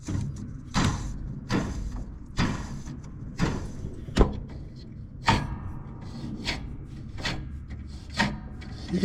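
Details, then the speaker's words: John Deere D110 mower: repeated dry rasping bursts as an idler pulley is spun by hand. The bearings are gone in both pulleys and they feel loose. "hear them bearings and you can feel them loose this poor thing needs a needs some attention"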